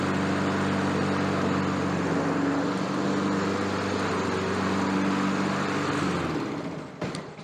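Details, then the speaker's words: Honda HRN216 mower that had no compression, fixed after a dent in the valve cover found stopping it running: steady even single-cylinder drone, no misses or knocks until shutoff; normal running. "यह सबसे अच्छा चलने वाला lawn घास काटने वाला हो सकता है जिसे मैंने लंबे समय में देखा है।"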